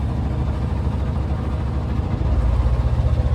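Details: Sailboat auxiliary diesel under way after retightening loose bolts and the belt: steady low thrum with even firing, and the earlier rattling is gone.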